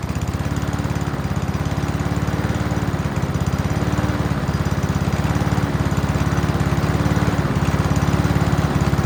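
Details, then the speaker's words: Free Honda walk-behind mower, first start before major work, run on choke with fuel in the carb bowl: steady even putter, no misses, knocks or surging; seems healthy but still needs plug clean, throttle cable check and fuel lines. "That seems like quite a healthy engine. Still needs minor tune-up work."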